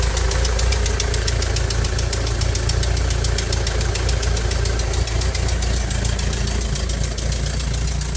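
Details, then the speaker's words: 1985 Volkswagen Vanagon Westfalia at idle: sharp fast even ticking, about seven a second, over steady idle; small exhaust leak clapping, runs and drives well otherwise. "and it runs pretty good has a small exhaust leak which is a clapping noise the hearing and I'll have to fix that"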